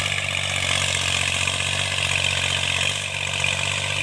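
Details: Tractor diesel working under cultivation load after the mechanic fixed its engine knock: steady, even drone holding constant, no knocking or ticking; engine sounds healthy.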